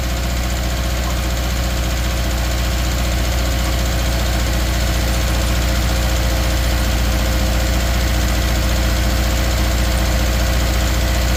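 Steady idle with a lumpy, uneven pulse about three times a second and a slight stumble, pointing to a misfire on one cylinder.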